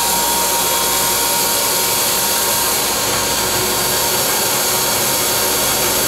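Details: Dental wet ring vacuum pump (DentalEZ Dual MC201) running with water flow on: even, steady rushing whirr with constant motor tone, no knocks or surging; reads 8 inches of mercury, within the 8–12 inHg acceptable range; healthy.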